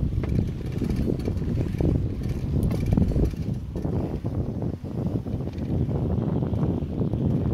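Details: Bicycle making a repeated metallic clang while riding, turning with the wheel; stops when the left (front) hydraulic brake is pressed, front brake suspected.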